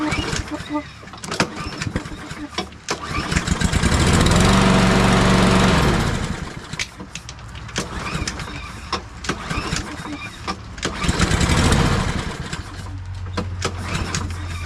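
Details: Briggs & Stratton push mower, previously hard to pull from kickback after running low on oil, after valve adjustment: cord pull rattles, then engine catches with a steady low putter and pulls freely; starting normally.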